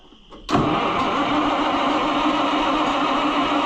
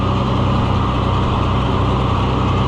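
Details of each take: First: Oliver 1800 C series tractor that sat about a year, battery reading 11.8 volts, starter churns steadily at roughly four turns a second for six seconds and never catches; cranks but won't start, and the owner wonders whether to recheck spark. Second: Oliver 1800 C series tractor that sat about a year, just started, settles into a steady even low idle chug with no knocks or misses, with oil pressure and charging; normal idle after sitting.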